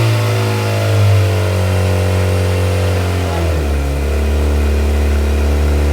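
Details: Viking engine in CH-750 aircraft, alternator (which had simply been switched off) charging; steady, even drone with smooth drop in speed, no knocks or misses; normal engine run.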